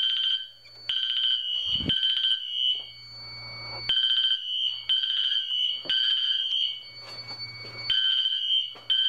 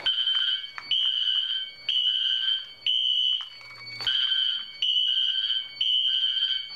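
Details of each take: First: Fire alarm test: horn and MT4 horn not synchronized despite Wheelock sync modules, Edwards panel; loud horn blasts in uneven overlapping bursts. Unsynchronized fire alarm horns. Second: Wheelock Exceder horn set to sync mute in a fire alarm system test, after pulling a BG-12L station: high piercing horn blasts about once a second continue after silencing because of the sync mute delay.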